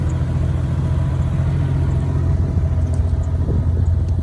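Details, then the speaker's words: 1994 Jeep Cherokee with 251,000 miles on the motor, only maintenance done: steady low idle rumble, even and unbroken, no knocks or ticks; engine sounds clean and healthy. "It's sitting here running right now. It's just clean as could be."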